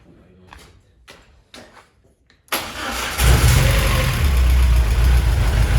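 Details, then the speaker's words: VW Golf 1 with a 2 L engine, restarted after the MAP setting was changed, throttle held by hand: a few clicks, then it catches and settles into a steady, even low idle that is not jumping around; it runs healthy. "it's keeping a stable angle. >> Yeah, I'm just keeping my hand there. So, but I'm keeping a stable. It's not jumping around."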